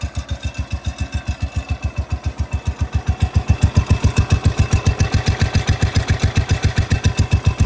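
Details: Cub Cadet 105 lawn tractor, small single after a fresh oil change and carburetor change, about a minute after a cold start: even, steady chugging about two and a half beats a second, no misses or knocks; normal idle.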